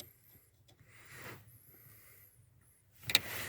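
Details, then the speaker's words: 1992 VW Passat B3 clutch pedal crunch returns after the taped coin is removed from the gap between steering column and pedal assembly; dry creaks then a sharp crunch as the pedal bracket shifts toward the steering column. "как можно видеть монет я извлек из этого зазора между рулевой колонкой и педальным узлом и"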